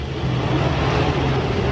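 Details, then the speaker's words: Used-car inspection, engine running after checking for leaks: steady even hum with no ticking, rattling, knocking or noise; engine condition very normal at idle. "Jadi ini untuk mobil ini contoh kita keadaan mesin dalam eh sangat normal ya dalam kondisi sangat normal jadi tidak ada suara aneh-aneh seperti Suara bising atau kletrek-kletrek atau semacamnya"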